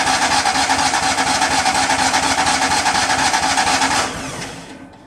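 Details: Miller Bobcat 250 welder, gasoline engine, 34.1 hours, idle since July, January start attempt: steady starter cranking about two beats a second for four seconds, never catches and fades out; cranks but won't fire, cause unknown.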